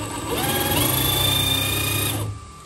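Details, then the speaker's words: HB R1001 Ford Bronco RC crawler, after fix: shift servo linkage lengthened two turns so the shifter pulls fully in. Small motor whirs evenly under load for about two seconds, then stops. Gear now engages without skipping or grinding. "oke teman-teman aman Alhamdulillah problem solve ya jadi pengaruhnya adalah di settingan eh panjangnya ini juga ngaruh"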